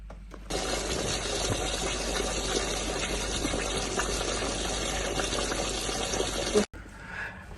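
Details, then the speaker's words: Unvented direct hot water cylinder, system pressure normal: steady rushing gush of water discharging, tenant says hot; presumed from the roasting-hot TPRV, cause unconfirmed. "Tenant has said it was hot water, so I'm going to presume it's discharged from the TPRV that is roasting hot."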